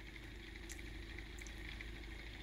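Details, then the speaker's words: 3D-printed pulse motor with a new rotor, after fixing the rotor lightly tapping the housing wall. A steady soft whir with only faint ticks, less clicking than before; runs smoothly and normally. "there it goes little bit better not so much clicking noise as it should be"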